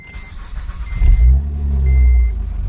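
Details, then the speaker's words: Acura 3G TL Type S with a rebuilt replacement engine: chime, short crank, then it catches and settles into a fairly even low idle, a tad rough with slight hiccups, owner suspects from old fuel. "oh yeah you can tell it's purring titling smooth maybe a little tad rough but just a little hiccups here and there"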